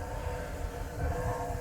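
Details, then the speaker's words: DIY home-garage waste oil furnace fed by a tiny pencil drip of oil, heated up and running; low, even roar with steady rumble, no sputter or popping, burner firing cleanly. "I got a tiny little pencil drip going in there here is that's it just that little drip right there is feeding that"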